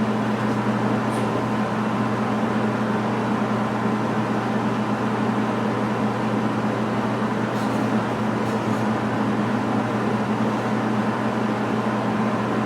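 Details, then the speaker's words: MIG weld run with the pull technique, nozzle held very tight to the deck (short stickout): a steady, even frying crackle over a constant hum with no pops or sputters; a stable, normal MIG arc. "Now, I've gone ahead and I've let the volume go on this because I'm hoping you can hear the sound of the machine as it's welding because I think this is important, too."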